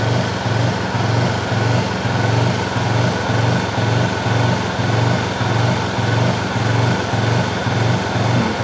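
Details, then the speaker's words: Honda CB fuel-injected motorcycle, still bucking after five services: at light throttle the engine swells and sags about twice a second, rpm rising and falling even with the throttle held steady. "Nah sekarang alasannya sudah ketemu apa kalau digas di RPM ini tadi maka dia naik turun kan itu toh ini penyakitnya"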